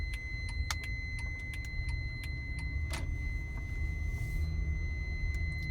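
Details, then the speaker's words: Honda Odyssey at night: steady high-pitched warning tone over low idle rumble with a few clicks, apparently from the rear, sounding when the brake is released and stopping when pressed, also while reversing; no dashboard warning, cause unknown. "it was doing this while I was reversing out of the driveway as well so yeah there's nothing interesting on the dashboard I'll put my brake on again stops and it's going again definitely sounds like it's coming from the back"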